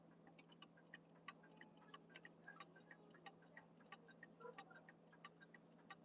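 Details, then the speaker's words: Clock being adjusted with the pendulum still out of beat: uneven ticks, roughly ninety a minute, with a harsh crunching noise on some beats over a quiet hum. Clock out of beat and crunching as it ticks. "Still out of beat. Let's try a little bit. Come on. Oh, now it's too far that way."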